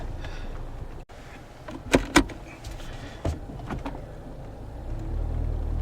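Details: 2009 Toyota Corolla, 190k miles: two sharp clunks close together, then another a second later, as the steering wheel is turned; owner suspects outer tie rod or ball joint, and later finds the outer tie rod boot cracked and leaking grease, replacing the outer tie rod.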